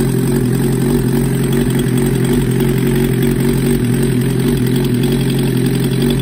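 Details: 1994 Suzuki GSX-R750 making its first start after a rebuild with a Wiseco 1 mm oversize piston kit and Yoshimura Stage 2 cams. The loud, even exhaust holds a steady fast idle with no ticking or knocking: the four runs smoothly.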